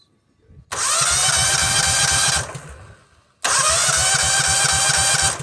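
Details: $50 Cub Cadet 2130 (2000 series) with corroded parts, messy wiring and water-contaminated fuel, very low fuel level: two bursts of steady starter cranking, no firing or catch; cranks but won't start, no fuel seen reaching the filter.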